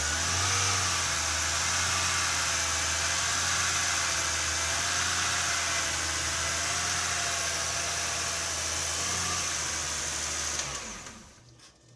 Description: BMW rough idle after valve cover gasket and spark plug and coil change no service engine light or codes showing.